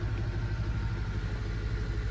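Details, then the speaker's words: Neglected 2005 Honda Element EX at idle after repairs set to spec: feels better and no longer thumping but low idle still stumbles rhythmically with uneven exhaust pulses; scan shows P0301 cylinder 1 misfire, owner suspects a burnt valve. "Now, it feels a bit better. That's actually shocking. It's not thumping, but it's still misfiring."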